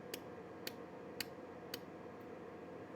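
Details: Jewellery laser welder filling a groove with gold laser wire, power reduced to 0.8: four crisp, sharp zaps about half a second apart over quiet room hum, each clean and even; good steady weld pulses giving a lovely melt.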